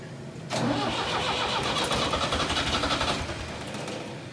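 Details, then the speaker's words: Four-cylinder diesel tractor abandoned three years, injector lines loosened and cranked to bleed air; steady cranking about four turns a second catches and roughens toward firing as fuel reaches three of four injectors; air in diesel fuel system. "okay that sounded better okay hold on let me crank this one down it looks like it's got fuel so now we got three out of four"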